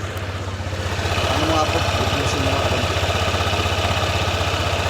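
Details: Honda PCX 160 after first-time DIY CVT slider piece replacement and cleaning: even, steady idle pulsing about four times a second, no rattle or scraping from the drive side; the earlier noise is gone.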